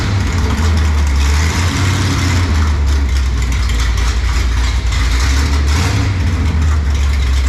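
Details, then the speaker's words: Mopar race car "Junkyard Jet" engine near end of break-in, long-duration camshaft, fuel pressure around 6 psi after new regulator: deep, loping, uneven idle with heavy low rumble; normal lumpy idle from the cam. "i'm proud of that thing sounds good you know what the duration is on that camshaft duration long"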